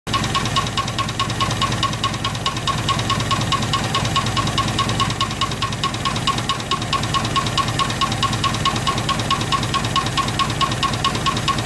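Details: Over-70-year-old Rover P2 petrol engine running with a sharp, even valve-train tick about twice a second. Teardown found a valve guide broken off and stuck to its valve. A refurbished head with new valve guides and seats cured the knock.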